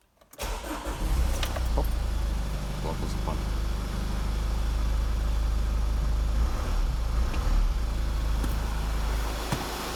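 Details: 2000 Mazda Premacy 2.0 L diesel after a cranks-no-start fault traced to a failed fuel pump relay, bypassed through the fuse 20 circuit: brief crank, then catches at once into a steady, even diesel idle with no misses or knocks.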